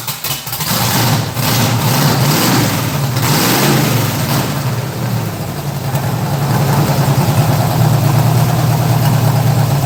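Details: Engine start during a live stream: cranks and catches, rough uneven idle for several seconds, then stumbles and dies; stalling, cause unknown.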